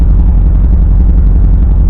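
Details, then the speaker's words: 1971 bus transaxle in first and second gear; loud steady low rumble and drone; owner says a bearing issue inside the transmission, throw-out bearing ruled out, plans to pull and rebuild the transmission. "I definitely have a bearing issue. Hear that? First and second gear."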